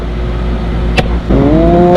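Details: 2012 outdoor AC unit whose fan wasn't spinning, after replacing the failed capacitor and fitting a hard start kit: steady low hum, then a click and rising tone as the condenser fan spins up and runs normally.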